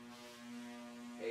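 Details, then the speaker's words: Late-'80s to early-'90s polished-brass Fanimation Palisade twin ceiling fan at speed 34 on a solid-state speed control. A steady low, fixed-pitch electrical hum with a buzzy edge, loud, caused by the solid-state control; the palm leaves may also buzz. "goes that one. That's buzzy. So that probably is from the We're up to 34 now. Quite loud on the solid state control."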